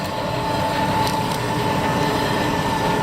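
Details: 1972 Grob 4V-24 24-inch 3 HP vertical bandsaw on its slowest setting: smooth, even hum with faint steady whine, no rattle or clatter; variable speed pulley drive running quiet and healthy.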